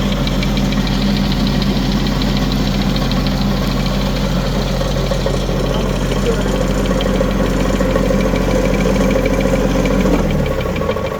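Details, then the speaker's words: Used 2018 Woodland Mills WG24 3-point stump grinder on the tractor, raised and spinning: an even, steady churning drone with no wobble or thump, then winding down slowly like a big flywheel; running healthy. "sounds good don't it you see how there's no wobble in"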